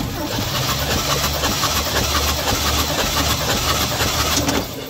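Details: 1953 Chevy truck V8, compression test on cylinder 7 (reaches about 150). Starter spins the engine in a steady, even churn for several seconds with no start; cranking during the compression check.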